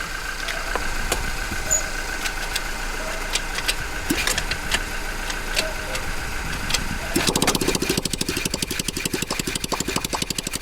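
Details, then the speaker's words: Motorcycle engine catches and runs with a loud, sharp popping bark on every firing stroke, because the exhaust pipe broke off earlier; the open blowing sound of a broken exhaust pipe. ">> bakit ganyan ang inginan >> naputol po kasi kanina yung ano pipe"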